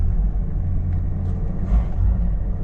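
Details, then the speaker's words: Classic Ford XE Falcon, parked for years: the idle barely lifts and briefly bogs when the throttle is snapped open, getting air but no fuel; the accelerator pump is suspected to have failed. "if I blip the throttle just open you'll hear it hesitate and not rev up like"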